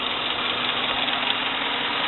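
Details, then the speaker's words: Jeep Cherokee (4th gen) 5.7 V8 with a cylinder 5 misfire at idle: steady, slightly lumpy drone with a faint knock, and the truck shakes even after codes were cleared, injectors cleaned and coils and a spark plug swapped; cause not yet found. "pero como pueden ver la camioneta tiembla"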